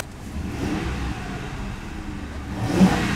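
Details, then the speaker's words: Ford Crown Vic Police Interceptor with 4,624 idle hours, free-revved: climbs smoothly with normal fuel-injector ticking up top and no thunk from the crankshaft area, so no sign of a spun bearing; normal free rev. "What you don't want is any sound from down there, where the crankshaft is. Because you might have a spun bearing or something like that if you had a thunking noise down there. But there's nothing on this one."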